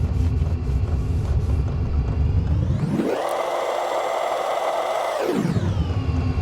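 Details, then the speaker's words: Chinese diesel heater (Vevor-type) restarting after fuel system bled of air: it catches and burns, then a low rumble gives way to a fan whir that swells fast, holds high and winds down, the fan ramping to high too early; smoke follows. "Fan kicks on to high way too soon. I think it's going to keep going anyway, but the fan is way too optimistic."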